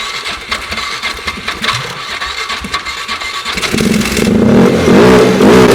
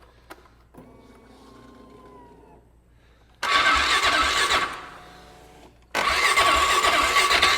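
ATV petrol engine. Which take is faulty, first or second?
first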